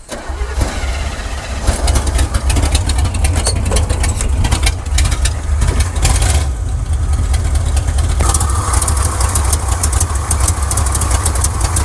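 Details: 1979 Chevrolet C10 Custom Deluxe after timing adjustment: rough uneven idle with irregular stumbles and missed beats, then dies; severe misfire, root cause not yet found, plugs next suspected.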